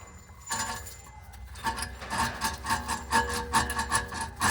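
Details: 2014 Toyota Prius (Gen 3), noise at speed pinpointed with a stethoscope; front hub turned by hand with rotor removed gives gritty, uneven rasping in rough pulses; worn wheel bearing grinding, to be replaced.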